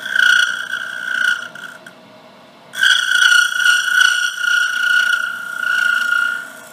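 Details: Small bowl being turned on a lathe: wavering high singing tone comes and goes as the tool rides the thin outer wall at the edge, chatter vibration from the flexing thin bowl wall; finish the outside before going further in.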